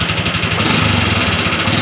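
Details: Honda Wave 125R, parked about 3 years, previously wouldn't start and had low compression, after repair: even quick idle putter, no misses or knocks; runs normally.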